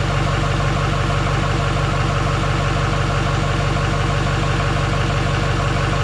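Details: GM LMM Duramax diesel truck following engine replacement: steady, even idle with a smooth low beat around two per second, no knocks or misses; runs healthy.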